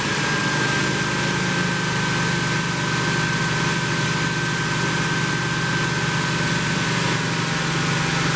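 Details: 1972 Plymouth Roadrunner 383 Magnum V8, after sitting 15+ months unrun, during cam break-in: steady, even fast idle, smooth low drone, no knocks or misses; normal fast idle.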